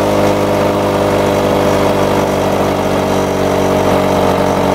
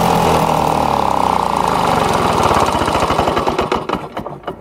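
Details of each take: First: Lawn-Boy two-stroke mower after air vane governor install and spring tension increase: steady buzz dipping twice and recovering, roughly 75-100 rpm fast; governor holding normally. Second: Lawn-Boy two-stroke mower with newly installed air vane governor, on high speed: steady but lazy loping beat that sags near the end; governed speed too low, more spring tension then added by turning collar counterclockwise.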